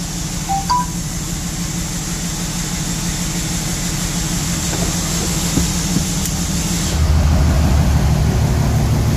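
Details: 03-07 5.9 Cummins common-rail diesel just after injector reinstall, valve lash not yet adjusted: clatter settling to a slightly uneven idle, about 188 per minute, with a faint miss or rough idle; cause not confirmed.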